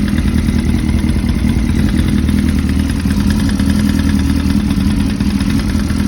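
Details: 2005-2006 Suzuki GSX-R1000 motorcycle at idle: busy idle with a quick, regular metallic clatter riding over the engine beat, a deep bottom-end knock, likely rod knock.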